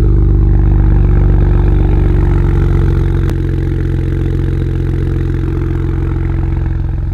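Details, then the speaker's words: BMW E92 335i with N54 turbo six after complete engine swap, no leaks, warming up: strong, even low rumble with a steady quick pulse and no knocks or misses; normal idle. "everything else is running perfectly we got tons of maintenance done no oil leaks no leaks of any kind"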